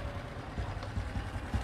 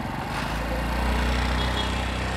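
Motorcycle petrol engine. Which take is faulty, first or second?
first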